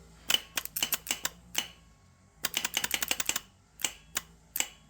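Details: Geo Metro starter on a test stand for a 2JZ swap into a Geo Metro: sharp irregular clicks in quick bursts with no motor spin at all; starter solenoid clicking, no crank, faulty unit.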